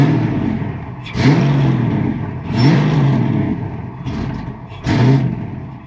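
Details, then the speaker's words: Ford Fox-body Mustang with 24-lb injectors and the original MAF refitted, fuel pump working: the engine cranks and catches with brief uneven surges about every 1.5 seconds, then dies back each time, a hard start that won't keep running. "So it almost wants to run."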